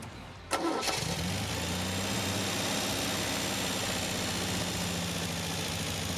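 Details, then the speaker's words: 1974 MGB with a freshly rebuilt engine, choke off, carburettor mixture screws being adjusted. It cranks, catches quickly and settles to a steady, even idle around 850 rpm with no hunting or misfire; the four-cylinder exhaust sounds mean: normal idle. "all right guys so i just got idling pretty dang good right now uh about like 8 50 or so"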